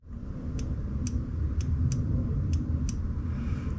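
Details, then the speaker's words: E23 BMW 733i that stumbles and won't accelerate after about 30 minutes, fuel pressure now confirmed full. Six crisp light clicks in four seconds over a low hum as the throttle is worked; the throttle position switch engages properly, normal click. "now it sounds like it's working properly if I do this you can actually physically hear the click"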